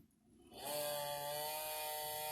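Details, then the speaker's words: Marshall MG100HDFX guitar amp cooling fan at power-on: spins up into a loud buzzy whine with steady high drone and rattle for about the first 30 seconds; noisy fan, a common fault, to be replaced. "it's got a problem with the cooling fan which a lot of these you know a lot of these do so we're gonna we're gonna retire into it and try to get get that fixed"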